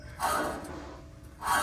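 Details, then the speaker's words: 2014 Ford F150 2WD, the noisier of the two removed hub assemblies spun by hand: a gritty, rough rasp that a good bearing would not make. Worn wheel hub bearing. "Is our more noisier one. The other one was had a little bit if you push some pressure on it, but this one here, you can definitely hear. That should not be there, so it should be nice and quiet."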